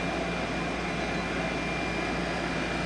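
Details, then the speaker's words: Bulldog InnKeeper/HomeKeeper (IKV/HKV) unit at start-up in cooling mode, high fan and compressor running, board heartbeat showing 1 flash (everything good): steady rush of high-speed air over constant compressor hum, no rattles or surging; normal running. "So now we're in high fan. We've now proven high fan operation, compressor operation."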